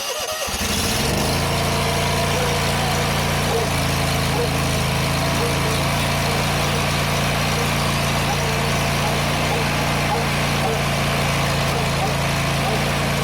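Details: John Deere GT245 mower engine that had been running rich and misfiring, after replacing a plugged air cleaner: catches and settles into a steady, even idle with no misses; normal running, clogged air filter was the fix.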